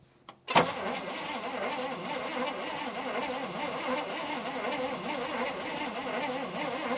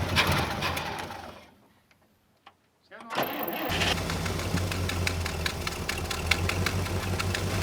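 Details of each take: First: 1974 International Harvester 500 V8 running on propane, abandoned about 17 years: an even starter churn for about six seconds with no firing. Weak spark found; low voltage or a starter issue is suspected. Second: 1974 International Harvester 500 farm truck on propane, revived after 17 years abandoned: after a short stumble it picks up and holds a full, even roar under throttle once running right; normal revving.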